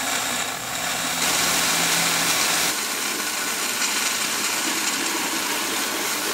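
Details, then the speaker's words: 1999 Chevrolet Lumina 3.1 L cooling system flush: compressed air forced into coolant reservoir hisses and gurgles through coolant, then changes to a drier steady rush as the reservoir empties. "you can hear how it just changed noises. All the coolant's now drained out of that reservoir."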